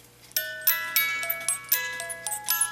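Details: Chalet cuckoo clock music box after a collet was fitted to keep the spur gear engaged with the crown gear in any position: clear plucked notes at steady tempo, no skips or grinding; playing normally.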